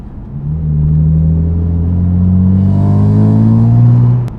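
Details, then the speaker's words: BMW F80 M3 with prototype equal-length midpipe, warmed up, driving with windows up and downshifted: deep droning buzz/resonance around 2000 rpm, low tones climbing with revs; exhaust drone. "right there you hear the buzz that we've been talking about in this whole video so back to the drawing board"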